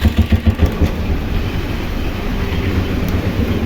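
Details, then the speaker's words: Royal Enfield Bullet Classic single after the self-starter fault was fixed (battery and right-hand switch line checked, reassembled): starter spins, the engine fires with a few heavy thumps and settles into an even normal idle; starting now healthy. "তো friends আমাদের যে সেলফের problem ছিল তো সেলফের problem totally ওকে"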